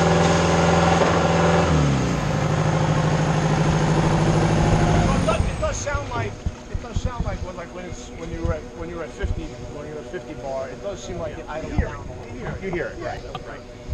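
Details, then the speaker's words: Mayco hydraulic concrete trailer pump running a test bar: the engine hum drops in pitch as the pump catches the hydraulic load, then holds lower as the governor takes over. This is normal governor pull-down. "all machines, actually, that happens when they start catching on with the pump, boom, and then the governor takes over, and you hear it when there's a jam."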